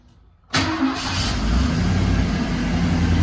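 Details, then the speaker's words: Engine after replacing Y-pipe to exhaust manifold gaskets, a manifold nut re-threaded with thread locker: starts quickly, steady even idle with no puffing or ticking; exhaust leak fixed, no leak felt underneath. "it's not making a lot of noise that part's been taken care of"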